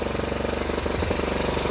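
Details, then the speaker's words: Fully rebuilt, nearly 40-year-old Yamaha Badger YFM80 single-cylinder ATV just after first start, choke off: quick, even thumping idle with a brief wobble then steady, valves much quieter, a little smoky; normal idle. "Run's good the valves are way quieter"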